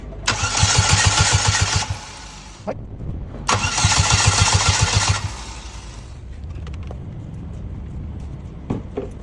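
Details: Engine cranks but won't start: two long cranking attempts, the starter chugging evenly at about three and a half beats a second, and the engine never catches.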